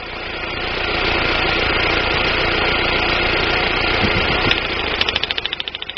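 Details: 1999 Daewoo Nubira 2.0L DOHC U20SED at idle, uneven stumbling beat with two to three hiccups a second over a steady hum; misfire, owner suspects weak spark from the DIS coil, not confirmed.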